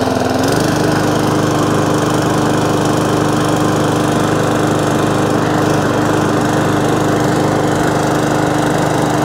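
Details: Briggs & Stratton overhead-valve E-series mower engine after a surging fix tried before replacing the carburettor, fuel primed two or three pumps; settles into a steady, even drone with constant pitch, no hunting or surging, governor holding speed cleanly; normal running.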